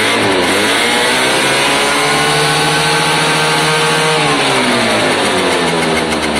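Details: Piaggio Diesis 100cc two-stroke scooter, battery not fitted, choke possibly on; crisp buzzy revving climbs smoothly, holds, falls back cleanly with even firing; normal revving.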